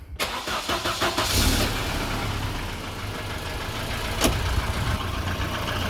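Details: Volvo 240 B230F, 288,000 km, compression OK and drives OK; cold start settling to idle with faint uneven ticking knock, suspected piston slap, not confirmed, compared against warm start.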